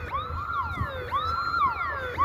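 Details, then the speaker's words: Security alarm siren going off near a closed parking lot on a Sunday past noon, not a scheduled test; a loud wail rises and falls about every second, steady and repeating. The trigger is unknown, possibly an animal or someone under the fence. "Something obviously set this alarm off. If that's a siren, like, I don't know what kind of siren that is."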